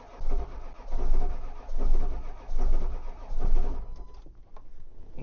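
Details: Ford 7.3 diesel that won't start in cold weather despite an aftermarket block heater: the starter drags slowly, about five labored turns a second apart, and never catches because the batteries are too weak to crank it.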